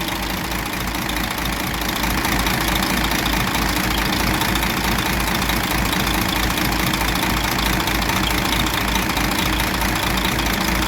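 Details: DAF 105 truck diesel, 600,000 km, came in knocking with booming into the air filter, after valve cover and rocker shaft work: steady, even idle with a regular firing beat and no extra knocks or tapping; normal, healthy.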